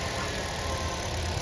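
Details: Hyundai i20 petrol engine after complete rebuild (previously no compression, would not start), AC line not yet connected: steady even low idle, no knocks, puffing or misses; normal idle.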